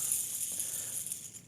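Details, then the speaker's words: 2010 Ducati Streetfighter 1098, 15k miles: clutch-side main crank bearing, hand-spun, gives a dry, gritty, chunky rattle fading as it slows; chipped hardened balls marred others and shed metal into the motor; needs engine-out full rebuild. "These are the quote-unquote good bearings, but sometimes they have a peculiar failure. So have a listen. Real chunky."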